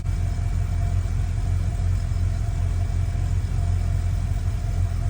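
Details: 1955 Chevy truck with late-model GM LS V8 (E38 computer), first start after year-long build, temporary exhaust, coolant about 187°F: deep even low idle rumble, no misses, knocks or surging, no exhaust leaks; running exactly as it should.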